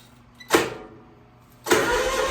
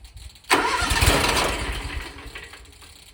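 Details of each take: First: 27 hp Kawasaki zero-turn mower, first cold start of the day with a weak battery on a charger: short crank burst, pause, then fires at once and settles into a steady, even run. Normal cold start. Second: 27 hp Kawasaki zero-turn mower engine restarted hot after mowing, on a relatively cool day: cranks a few seconds, stumbles, then catches late and slowly builds revs. Owner suspects a sticking fuel shutoff solenoid in the carburetor starving it of fuel.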